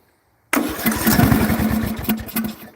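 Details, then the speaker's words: Briggs & Stratton 16 hp single with no power, running with its cooling shroud off and at full throttle. It fires and revs, chugs about two seconds, then sags and dies: it starts but won't keep running. The cause is suspected, not confirmed. "As you heard, it revved up, kind of revved down, and then revved all the way down until it died."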